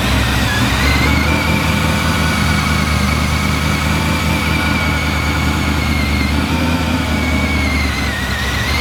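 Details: Blown 383 stroker LS1 V8 in a VY Holden One Tonner ute, idling on a base tune after its first start: a loud, steady lumpy rumble with faint blower whine; idling cleanly and running well.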